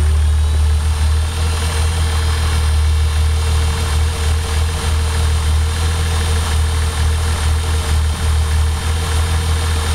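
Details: Toyota 7M-GTE engine checked with a Colortune spark plug: low, lumpy idle with uneven beat and periodic stumbles in the exhaust pulse; cylinder 1 misfiring.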